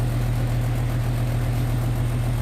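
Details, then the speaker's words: Air conditioner outdoor unit at about 77°F outside: steady low hum of the condenser fan but the compressor never kicks in; an old run capacitor is blamed for the compressor not starting. "I don't know if I hear that compressor. Not think I do. No. No compressor. No compressor. I don't know if y'all heard that. Old cap."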